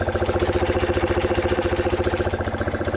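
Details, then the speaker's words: 1976 BMW R90S 900 cc boxer during carb sync by ear: even idle pulsing near four beats a second with steady intake hiss; matching intake air pitch of both carbs, draw sounds normal. "another way you can sink the carbs if you don't have any tools at all to listen to you listen to the pitch of the air getting sucked in"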